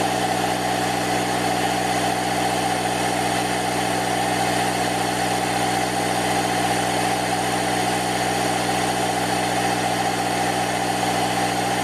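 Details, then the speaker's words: Parkside PKZ 180 C5 piston air compressor (Lidl, 8 bar, 1100W) building pressure to inflate a ball: steady, even buzzing chatter at constant pitch, no knock or rattle; normal running though noisy. "it's for me too noisy so i'm just guessing it should be okay for for the ball"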